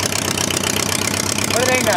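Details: Homemade four-cylinder Briggs & Stratton engine that had sat over a year, after its starter/generator was replaced (the new one has a different pulley). It chugs at a quick, even, steady speed; they think the carburetor is too small. Normal running.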